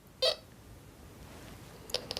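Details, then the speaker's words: XP metal detector with sensitivity set too high and ground reject too low: irregular short electronic chirps and chatter over faint hiss, false signals masking small targets like a cut quarter. "How can you expect to find something as tiny as this cut quarter when you've got all that background noise and chatter? Listen to that chatter."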